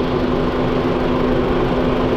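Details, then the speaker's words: Honda Jazz (automatic), formerly seized engine rebuilt, scan shows no engine or transmission errors, fan judged OK; steady even idle with constant cooling-fan whir, no knocking or rattles; normal idle. "Hindi, okay na yung pan. Automatic siya. Yan. Goods."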